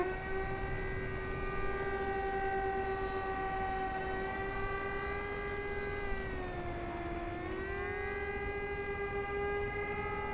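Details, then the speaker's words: Flite Test Viggen RC jet, electric ducted fan with a cheater hole cut in it, in flight: a steady fan whine holding nearly one pitch and sagging slightly around seven seconds. Weak thrust and poor throttle response. "as you can hear i don't really have a lot of throttle or responsiveness let's bring it in low and pass"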